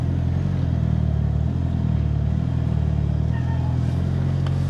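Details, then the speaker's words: Mitsubishi Evo after ACT twin disc clutch install, in gear with clutch pedal pressed: steady engine idle with no rattle, chirp or grinding from the bellhousing, where the old clutch made strange noises; clutch now quiet. "I have the clutch pressed in. This is where it would have made all the strangest noises, was when I was in gear and the clutch was pressed in."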